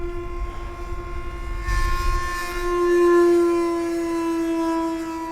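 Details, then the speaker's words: FT Viggen RC jet, 70 mm probably 6-blade EDF on 4S 2200 with 40 or 50 A ESC, flown on a gusty day: steady high whine that swells and wavers; fan not happy past a point and described as dying. "a poor edf that poor fan is just dying"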